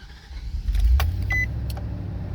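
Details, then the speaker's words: 2007 Nissan Titan SE with a hard-start complaint and an immobilizer light. With the original key it cranks briefly, catches at once and settles into a smooth low idle: a normal start. The aftermarket key won't start it. "see it cranked up, no problem, no issues. Those are the seat belt lights that are on right there, and it cranked up with no problem."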